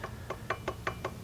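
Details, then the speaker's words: Predator 212 Hemi engine build with 255 grind cam, side cover on without bolts, turned slowly by hand: crisp woody knock about every fifth of a second from slight backlash in the cam gear mesh. "it's not it's not moving very much but it's just enough that it makes a sound that's what i was hearing in"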